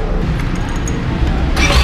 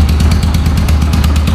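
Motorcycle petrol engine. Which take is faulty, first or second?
first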